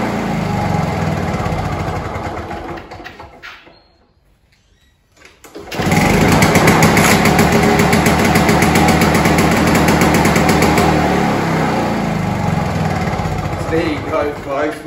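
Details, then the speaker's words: Victa 2-stroke Commando lawnmower, found dumped at the roadside, primed and test-started right after carburetor cleaning: fires first pull after a brief stop and settles into a crisp, even, steady buzz; healthy running after the carb clean. "simple carb cleaned like we've just done she's now starting first pull"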